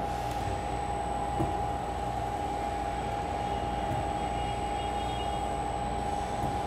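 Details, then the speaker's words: Ball-screw linear module with its servo auto-tuned in IndraWorks: smooth, even travel with a mild motor hum. The earlier oscillation squeal is gone, and no chatter or squealing remains; normal ball screw motion. "smooth as silk no sounds No squealing nothing that shouldn't be there"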